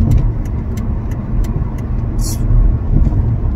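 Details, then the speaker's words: Loud, rapid, regular light knocking (about three per second) over road rumble while driving on a smooth road, sounding very loose at the front end; the caliper was coming loose after anti-seize was put on the caliper bolts. "really really sounding loose hear that when you want some bumps in the road you know it's like a perfect road out here"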